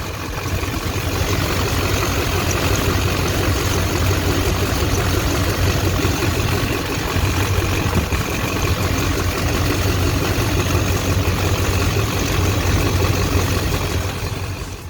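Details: 2001 LB7 Duramax diesel, about 185,000 miles, idling before belt tensioner and idler pulley replacement: rough idle with thin steady high squeak that never lets up; worn idler pulley bearing squeal.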